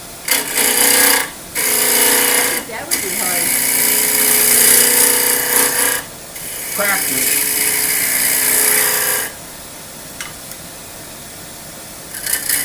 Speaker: i can feel it and hear the vibration it's not round yet there's still points up at the corner